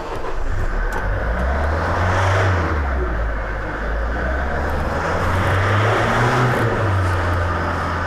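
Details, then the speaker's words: Kia Carnival 2.9 diesel J3 held at about 2,500–2,800 rpm right after start following injector repair; hard, rattly knock over a steady drone from the cylinder 1 fuel injector, which runs evenly but harshly. "Ну вот сейчас мы когда сразу дали газу и держали где-то порядка там 2,5-2,800, отчетливо слышно было, как стучит форсунка. То есть именно клапан по клинеру."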